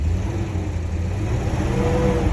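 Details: BMW 840 with 56,000 miles, a former non-runner now running after its ECUs were refitted and the immobilizer coded: deep, full exhaust note swelling smoothly as revs rise, with no misses or rattles; normal revving.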